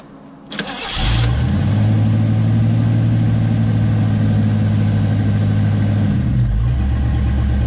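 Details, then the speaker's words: 1985 Ford Mustang LX 5.0 convertible, automatic, parked 3 years, jump-started, not quite cold, heard from the rear: brief crank then steady, even low exhaust rumble with a fast regular beat; sounds good. "first time hearing the exhaust from back here not quite a cold start but still pretty much oh yeah oh yeah that sounds good heck yeah man"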